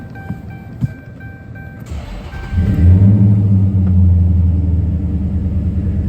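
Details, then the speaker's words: 2014 Dodge Charger SRT8 6.4L Hemi, 72,000 miles, codes P0300/P0303: uneven, stumbling idle from a cylinder 3 misfire that persists after swapping with cylinder 5; an injector swap is next. "now do I still feel a Miss misfire yes"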